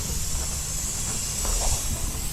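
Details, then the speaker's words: 2023 Sea-Doo GTX 300 Limited, stage 1, only reaching 74 mph, engine off with a pressure tester on the supercharger: steady high hiss of escaping air; boost leak found. "we definitely have a leak so you see what I mean you just never know don't assume stuff you got to go for it and see what we got"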